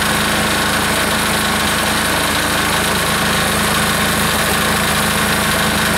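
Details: Air-cooled diesel engine just reassembled, warming up during a half-hour run with the gauge reading 228, steady even clatter over fan hum with no misses or knocks; owner says it is running pretty smooth, normal running.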